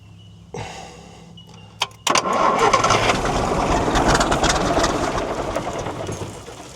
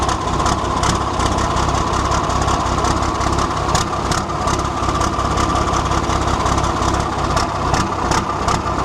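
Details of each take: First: 1973 Volvo G89 truck, TD120 diesel rated 320 hp, 24 V starting, sat 4 years: cranks, catches and settles into an uneven lumpy idle that hunts; rough idle, owner suspects air in the fuel or idle set low. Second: 1973 Volvo G89 truck with TD120 diesel engine rated at 320 hp, on a 24-volt start system, restarted after bleeding the fuel system: a heavy diesel clatters at a steady, loping idle with no stumbles or knocks.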